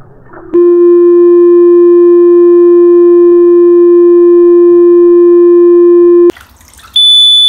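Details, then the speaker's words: Watchdog water leak alarm tested in a bathtub with water poured toward the drain: a loud, ear-piercing, steady electronic tone holds about six seconds, then cuts and returns higher. "i promise you man it's loud here ear piercing"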